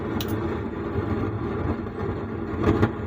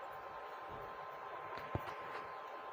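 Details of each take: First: Sound Standard CA20 amplifier at switch-on: rough crackling rush with sharp pops from the speaker even at zero volume. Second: Sound Standard CA20 amplifier after repair, channels 1 and 2 volume up: only a faint even hiss with no crackle, hum or buzz; the amplifier now runs quiet and normal.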